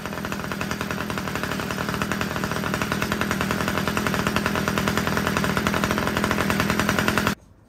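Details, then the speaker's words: Homelite two-stroke weed eater after richening the carburetor low-end screw: crisp steady buzz holding even speed about seven seconds, then cuts off cleanly; it had been too lean and stalling, now runs properly. "All right, that was awesome. Just the low end of that carburetor just needed to be a little bit more rich."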